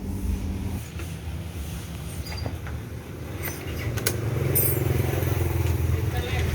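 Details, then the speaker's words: Old LED Honda Vario 125 scooter with very rough engine: low harsh note with uneven clatter from the head area as revs rise; suspected rocker arm roller, found seized rocker arm roller. "Oke, seperti ini untuk suaranya di area head ya. Ini sepertinya di area headnya ada yang bermasalah. Kemungkinan ini di temlar ya."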